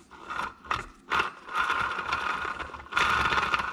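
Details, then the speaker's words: Polaris RZR Turbo front differential during rebuild, axle hub bearing turned by hand: rough, gritty grinding and scraping in uneven bursts, now really loud, likely metal filings inside; worn bearing. "bearings really loud now he's probably chunks of metal filing in there"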